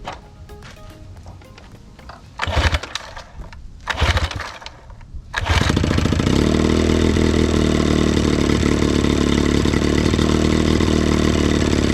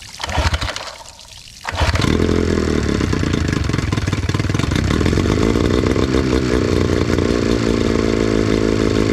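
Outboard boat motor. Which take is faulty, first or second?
first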